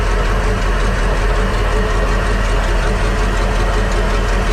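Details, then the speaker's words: Crusader 8.1 Captain's Choice marine V8 running rough and not making rpm: loud, loping idle pulsing about twice a second; rearmost cylinders 7 and 8 not contributing; a plug pulled was cold and wet, and another was soaking wet, busted and not firing. "let's take a look at another plug yeah so here's our problem the plug is drive super wet it's not firing it's a plug is busted"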